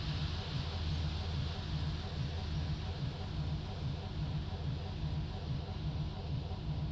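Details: Mercedes-Benz bus diesel on a cold damp morning: starter cranks with steady low even chugging but engine never catches; crank, no start.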